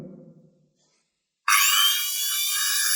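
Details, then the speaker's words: Bosch Professional GWS6-100 angle grinder (11,000 rpm, 670 W) after armature replacement: silence then clean, steady high whine with no grinding or rattle; running perfectly. "That this angle girder of ours is running absolutely perfect, while handling it and either you fit the back cover and then start it"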